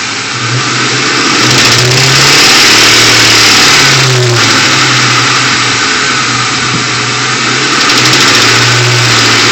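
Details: 2001 Ford Mustang GT: uneven clacking knock only between 1000 and 1500 rpm, quiet below and above; timing chains and tensioners replaced with no change, cause still unknown.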